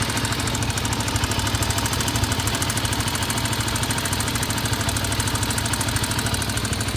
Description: Honda XR 250 появляется и пропадает стук, звук идёт из головки. Одна из причин: не отрегулированы клапана.